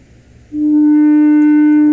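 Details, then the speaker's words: TV receiver audio section with Sencore TVA92 audio drive signal injected at the audio amplifier input: clean, steady mid-pitched test tone without buzz or distortion; audio output stage and speaker working normally. "Ah, listen. This means that everything from the audio output stage to the speaker is good."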